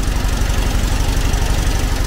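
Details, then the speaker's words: 1970s VW Type 2 Camper engine after distributor timing was reset, still warming: low, lumpy, uneven loping idle that won't settle; owner suspects plugs or carb adjustment. Cause unconfirmed. "let the engine warm up a little bit it's not sounding great really it might need a new set of plugs or something even"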